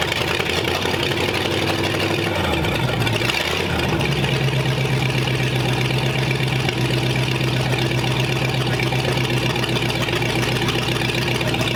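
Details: Vintage engine after compression test, first start: catches after a few seconds, settles to steady even low idle with 35 psi oil pressure, no knocks or misses.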